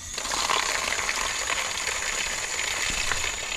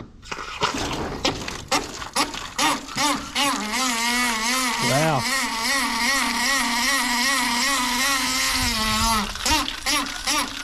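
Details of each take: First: Outdoor hose tap after replacing the worn washer and greasing, previously quacking with water hammer: steady smooth hissing rush of water with no quacking or chatter. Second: Garden hose tap on a test post, water on, making a loud warbling duck-like honk with rushing water; water hammer from a jumper washer stuck tight in the tap body, slamming the valve onto its seat.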